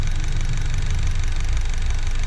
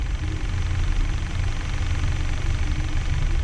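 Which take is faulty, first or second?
first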